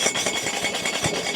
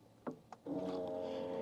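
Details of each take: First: Battery-powered portable camping water heater: a gritty metallic rattle when the unit is shaken, something loose ringing inside the casing. The owner guesses it is the igniter. Another unit did the same, and the source is not confirmed. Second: Battery-powered Bouge RV portable tankless camping water heater at startup: a couple of sharp igniter clicks, then the pump settles into a steady hum and the flame lights cleanly, a normal start.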